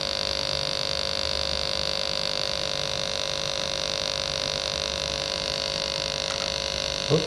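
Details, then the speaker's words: Sega TeraDrive with its bad power supply connected, at power-on: a constant loud buzzing hum with a steady high whistle. The failing supply strains as the 12 V rail drops to 10.65 V and the 5 V rail to about 3 V. "Oh, there's that noise. So the 12 volt rails dropped right down 10.65 and dropping."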